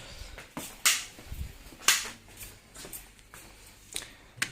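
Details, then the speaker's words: Bosch fridge that freezes but doesn't cool: sharp dry snaps about once a second from the air damper unable to open; fixed by replacing the damper. "está el problema no es capaz de abrir y hace ese ruido"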